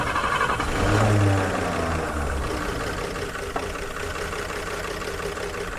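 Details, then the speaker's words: 1951 Chevrolet Fleetline six after swapped plug leads were corrected, with a makeshift carburetor tie-wrapped slightly open to limit air: it catches into a lumpy, uneven idle of about three beats a second. It is running rough and not cleanly on all six. "It's running. See if I can get around there to this trying anyway. Nearly on on six. Wow. Well, it runs sort of."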